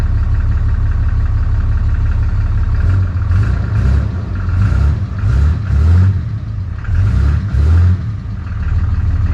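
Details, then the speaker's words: Diesel truck with no DPF at a salvage auction: deep steady rumble swelling cleanly with throttle blips and settling back, no knocks or rattles; sounds healthy. "She sounds good, guys. She does."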